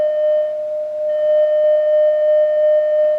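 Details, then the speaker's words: Vintage Oahu 230K 6V6 tube guitar amp after power-supply and coupling-cap rebuild, volume turned up: test tone comes out harsh and buzzy, a blown field-coil internal speaker; a substitute speaker plays clean, and reconing later fixed it. "Looks like we got a blown speaker. And it's a field coil speaker."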